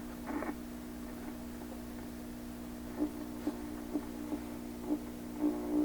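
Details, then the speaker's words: 1928 RCA Victor Model 28V radio during balance and alignment: low, rough, grumbling hum with scattered clicks instead of a clean signal. Distorted audio, cause still unknown. "So regardless of what it sounds like, just ignore the fact that it sounds like a grumbly old man."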